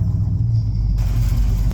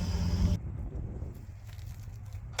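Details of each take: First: 1972 Ford F750 Super Pickup in neutral at idle, choke possibly on: low uneven lumpy firing, runs rough; coil measured only six volts, resistive lead suspected faulty, causing weak spark. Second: 1972 Ford F750 "Super Pickup" truck V8 running after carburetor tune-up set for highest vacuum with hood shut and engine hot; deep, even rumble with steady firing, no knocks or misfires, noticeably quieter now it is efficient and fueled correctly; normal running.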